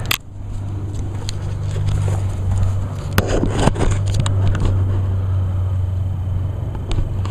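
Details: 2011 Echo PB-500T backpack blower, 50.8cc two-stroke, run the day before and used all winter; choked, five primer-bulb primes, started on one pull; smooth, steady low drone without surging or sputtering; healthy.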